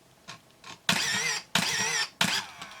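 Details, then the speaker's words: Pentax SF1n 35mm film SLR with 35-80mm Pentax-F lens in continuous (multiple-shot) drive near the end of the roll: three evenly spaced crisp shutter-and-wind motor cycles, each under a second; normal continuous shooting. "Well, I think there's only a couple more pictures on here, but let's just do it to, let's see, to multiple shot. And so then we should be able to just have it do continuous."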